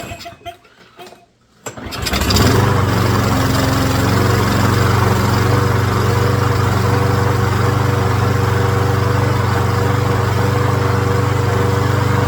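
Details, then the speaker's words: Craftsman push mower started by pull cord after carburetor cleaning, air filter not yet refitted: catches at once and settles into a steady, even single-cylinder drone; runs smooth, normal. "well she fires up good now let's go ahead and put that air cleaner back on make sure she functions a hundred percent"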